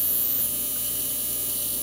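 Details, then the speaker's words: Sim2 Domino 80 DLP projector in standby, no light, ignitor flashes: steady ugly buzz with thin high whine, "almost waiting for it to go bang"; failed capacitors (three 47uF 50V and main 100uF 450V filter cap) in power supply. "that sounds terrible like I'm almost waiting for it just to go bang that's the noise that's obviously not a good noise"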